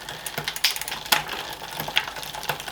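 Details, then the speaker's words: Planet X road bike with Shimano 8000/6800 groupset, workshop test: from the bottom gear, one upshift index, and the chain climbs reluctantly with irregular light ticking and sharper clicks, shifting but not happy. Owner suspects two possible causes, unconfirmed. Hesitant upshift. "so we're on the bottom I'm going to index up one oh it's it's gone but it's not happy"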